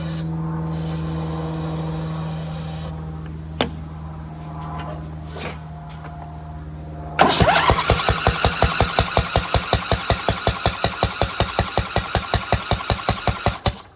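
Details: Craftsman DLT2000 lawn tractor cranking steadily with popping but not starting, ether sprayed in; owner suspects a blown head gasket with water in the cylinder.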